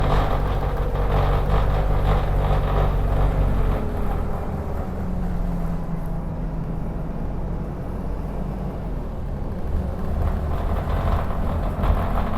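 A heavy diesel drones low with a loose, uneven pulse of about two per second over the running engine; the cause is unclear.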